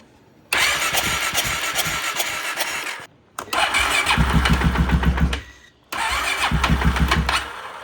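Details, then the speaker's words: 2016 Polaris Sportsman 570, no-start, exhaust pipe refitted, plug black, spark and fuel present: three cranking tries, single catches, sputters unevenly then dies; hard starting, won't keep running. "that's the longest I've heard this thing run for might be coming out of it it's not taking much throttle or any throttle but it's starting in idling now that's a good sign"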